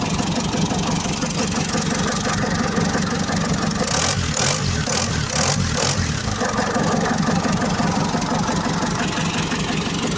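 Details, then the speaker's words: Ford Transit mk5 diesel, cold start after sitting from 23 November 2023 to 13 January 2024, recorded at the engine, with a cab-stack exhaust: loud but even diesel clatter at steady idle, no misses or hunting; healthy. "okay I don't know whether you can hear me but this is the transit engine"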